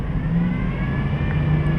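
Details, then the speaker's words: 2007 Dodge Durango engine revved above 2000–3000 rpm before repair: thin medium-to-high-pitched whine over low engine drone, rising with rpm, probably not the steering pump; failing lower idler pulley bearing, whine gone after replacement. "hear that wine kind of a medium to higher pitched wine definitely increases with increasing rpms"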